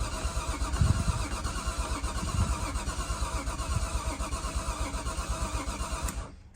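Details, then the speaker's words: Nissan R33 Skyline RB25DET, coil packs and spark plugs refitted: starter churns unevenly six seconds, never fires; owner blames low compression, suspects timing, plans to check it. "absolutely not it's broke still because we got low compression"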